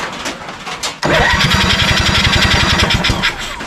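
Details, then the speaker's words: 1987 Honda 3813 lawn tractor engine, revived after years abandoned, cranks with starting fluid but won't start; steady hollow chuffs as air blows back out the carburetor. Spark present, plugs dry; owner suspects timing is off, not confirmed. "now that's like pushing air out something's up with the timing see how it's pushing it out that's definitely a timing issue that's not good"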